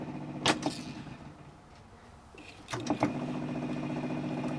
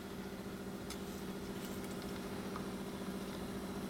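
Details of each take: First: Sony TC-350 three-head reel-to-reel, playing at 7.5 ips: a couple of control clicks, then a steady motor hum with no tape sounds. The gummed-up capstan idler arm rubs the motor pulley but won't pivot in, so the tape stalls. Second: Sony TC-350 three-head reel-to-reel after freeing a gummed-up capstan idler wheel arm that stopped the pinch roller engaging and bogged the tape to a stop; heads cleaned and demagnetized. Now a steady, even motor hum, no scraping, squeal or wobble: normal tape transport.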